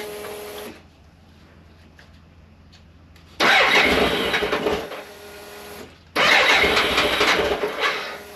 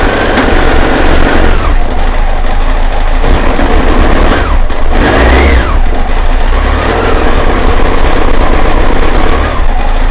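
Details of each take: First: 1998 BMW K1100LT, about 83,000 miles, after fuel pump replacement and draining dirty, likely water-contaminated fuel tank: quiet idle then two clean strong revs that rise and fall smoothly, no stumble; normal running. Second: 1998 BMW K1100LT, about 83,000 miles, cold start with noisy fuel pump: loud, uneven note that surges and sags; idles but won't rev. Fuel pump suspected; unplugging and replugging the temperature sensor made it run fine again.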